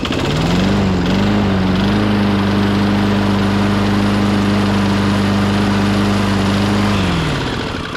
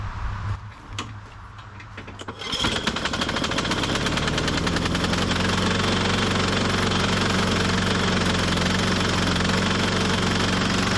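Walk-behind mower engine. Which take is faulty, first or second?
second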